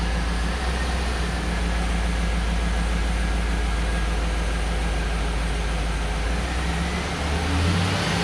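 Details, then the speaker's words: Truck idling after installing home-built towing 4L80E transmission, transmission and transfer case filled, exhaust and driveshaft back on: deep steady low rumble with no knocks, misses or whine; engine idles evenly and sounds healthy. "I'm gonna start it up and make sure it moves. Should start right up."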